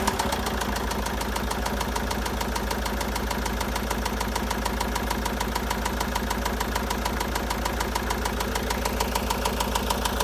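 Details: 2013 Citroën Jumper II (Type 250), 2198 cc 96 kW diesel, engine code 4HH, 294,000 km, with bearing damage and a defective cooling system. At idle, an even, hard knock about three times a second over the diesel clatter; bearing knock.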